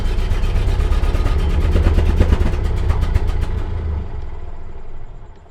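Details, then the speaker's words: Bone-stock 1929 Ford Model A coupe, 40 hp engine, long-sat, GoPro on the exhaust pipe. Lumpy low beat with irregular pops and bangs that never improved: rough idle with popping from contaminated fuel. "It felt like a huge victory to get the Model A to actually run. But I never got it to run any better than that. It just continued banging and popping."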